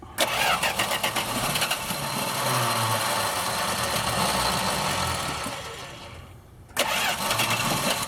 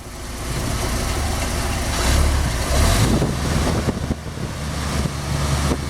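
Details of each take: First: Dodge drag truck, started without a jump on its battery: a long chugging crank dies down, then a second crank catches and rumbles to a rough idle. It is a hard start, slightly flooded by too much gas. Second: Dodge drag truck after winter storage, cold start on a new EverStart battery without needing a boost, slightly flooded: deep, steady low rumble with an even idle, no knocks or misses; healthy.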